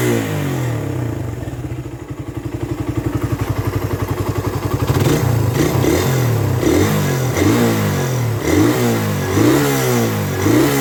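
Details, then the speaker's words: Raider 150 carburetor motorcycle, hot engine revved and held: quick metallic clatter from the head rising with revs, silent on cold start; cause unconfirmed. Top-end ticking when hot. "ang nararamdaman nararamdaman ko lang naman siya kapagka mainit na yung motor pero kapagka malamig ung bagong andar walang ingay yung motor ko tahimik siya"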